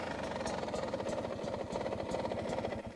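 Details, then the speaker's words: New 2023 Beta 250 RR two-stroke after a needle change, air screw about 1.5 turns out: a loose, lopey burble ticking over slowly at a deliberately low idle, almost stalling; normal for this setup. "low like almost stalling I bet if I give it a couple revs sounds good betas are crispy sounding that's about it that's what we're looking for"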